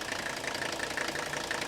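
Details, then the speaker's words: 1984 Mercedes-Benz 300D diesel, very little blow-by, at idle; steady, even clatter with smooth regular beat and no odd knocks, sounds really good, healthy idle. "Yeah, love that. Really sounds good."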